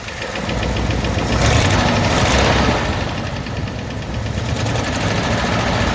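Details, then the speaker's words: AMC 327 V8 Jeep after exhaust manifold gasket replacement: steady knock about four per second over lumpy idle, rising briefly with revs, misfiring and shaking; thud heard at oil pan, owner suspects main bearing or flex plate/clutch hitting flywheel, unconfirmed. "ou can hear it knocking. So I hear more of a thud on the oil pan."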